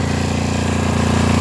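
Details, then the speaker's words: Auction-bought Coleman Powermate 6250 generator, started after bailing wire was replaced with bolts: fires on the second pull into fast, even chugging with a steady beat and no stumbles or rattles; running normally. "yeah second pool they fired right up y'all can see I got it running right now definitely better with them Bolts versus that bailing wire"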